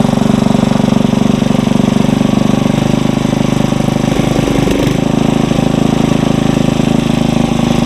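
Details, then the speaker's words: Briggs & Stratton 900 series tiller engine held at high idle to warm, no load: single cylinder runs fast and even with a steady beat, no misses or hunting; normal running. "Alright, let's go speed the tiller up some more, and then she won't run like that forever, but then she'll have to start cooling down again."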